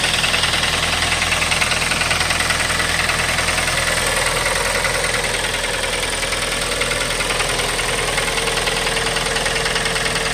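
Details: A 2012 Kia Forte idles steadily with a fast, light, evenly spaced engine tick that follows engine speed. The source is unknown, and there are no oil leaks anywhere.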